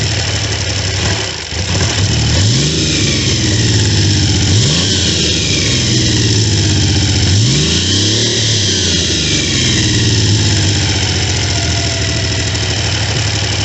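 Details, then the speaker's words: Triumph T150V triple after heads and cylinders were removed to fix oil leaks, started on second kick (first kicked back); even idle then clean rises and falls through several blips, no knocks or rattles; normal running after rebuild. "Started second kick."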